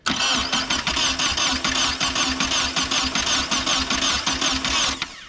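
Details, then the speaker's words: Nissan 240SX project car with no fuel pump prime heard and the intake (MAP sensor/TPS) not yet installed: steady starter churn for about five seconds with no firing; cranks but won't start, lack of fuel suspected. "Nothing. Sounds like it's not getting any fuel though."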